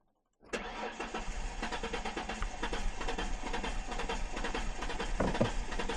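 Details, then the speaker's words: 2004 Ford Mustang that sat in the desert for years, with brake cleaner sprayed into the intake: steady cranking at roughly two turns a second with uneven firing, never catching; crank no start, fuel apparently not getting there. "Well, now it kind of seems like it wants to start, huh?"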